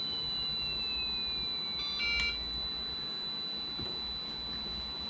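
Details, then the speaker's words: Losi ProMoto MX RC motorcycle, bench test with flywheel turned off: thin high electronic tones and a short chirp as the drag brake kicks in, transmitter beeping yellow warning not to operate it; not-ready warning beeps. "you can hear that drag brake kicking in remote's beeping yellow telling us not to operate it"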